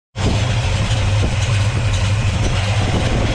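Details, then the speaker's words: V8 with Holley 650 double pumper carburetor and Vintage Air, just after fast idle solenoid install; deep, steady burble at about 800 rpm with no misses or knocks; normal warm idle. "I'll demonstrate real quick how this works. Um, I see the car is idling about 800."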